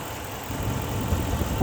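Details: 2006 Ram 1500 4x4 5.7L Hemi V8 idling at operating temperature after water pump replacement. Low, steady rumble with no knocks, squeals or ticking. Hoses are firm with no leaks and the new water pump is dry: normal idle.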